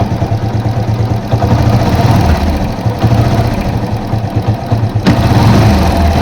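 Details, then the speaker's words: Yamaha FZ-S: uneven light ticking over a low single-cylinder idle from the top end, louder when riding; tappet noise from excess valve clearance, to be fixed by tappet adjustment. "तो दोस्तों यह ट feet का issue है टा feet को हम adjust करेंगे"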